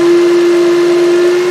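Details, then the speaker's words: 2007 Toyota Highlander 3.3 L that died on the road, battery charged overnight, at start-up: loud steady mid-pitched whine every start; voltage falls from 13.2 to 12.58 V, not charging; alternator suspected and later replaced. "It's made the sound every time I've started it. That doesn't sound too well."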